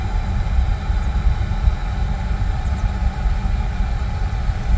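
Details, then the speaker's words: Oil boiler after a breakdown repair. A steady, even low roar with no pulsing or surging; the analyzer check shows ppm coming down and air around 35%, and the burner is firing cleanly and running normally. "I will just check it with the analyzer make sure it's burning clean but it looks clean inside"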